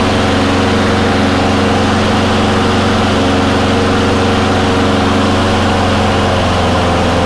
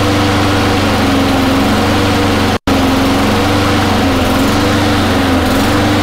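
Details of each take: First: Surging Honda mower after cleaning water or debris from the carburetor bowl and fitting a new gasket: steady, even idle with no hunting or surging once the choke settles; running right. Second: Honda mower with the choke turning off and the flywheel key already checked intact: the engine pitch drifts up and down instead of holding a level rpm; a hunting governor, attributed to a dirty, partly clogged carburettor.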